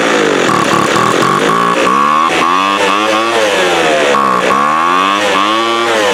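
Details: 2007 Sears Craftsman 25cc two-stroke blower, rusty thrift-store find that sat outside, just fired up: high raspy buzz surging up and down, hunting and rough; uneven running, owner suspects air-fuel mixture needs setting, not confirmed.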